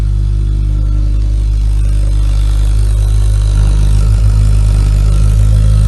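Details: Ideal Logic boiler running with a heavy, steady low roar and throbbing hum, much louder than normal; after a proper service it runs noise-free.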